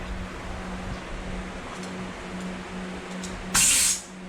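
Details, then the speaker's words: Blasting cabinet gun upgraded with a new foot pedal kit and better fittings to cure a constant air leak: no hiss at the fittings, then a strong half-second rush of air; flows cleanly, no leaks. "Okay, that sounds pretty healthy."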